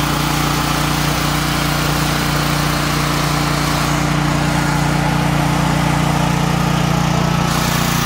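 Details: Troy-Bilt XP 10,500/7,000 W generator, model 030477, Briggs & Stratton 2100 engine, after carburetor replacement and a tank and fuel-line flush for bad gas, on treated ethanol-free fuel: steady, even drone with no surging or misses, running normally.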